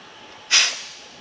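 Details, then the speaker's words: 2007 Toyota Camry, 2AZ-FE 2.4 L four-cylinder, during leak-down test of cylinder 2 (over 20% leakage): air hisses out at the opened radiator cap, overflow bottle bubbling, showing compression leaking into the cooling system through a breached head gasket. "You hear that hissing? Number 2 is leaking down into the cooling system somehow."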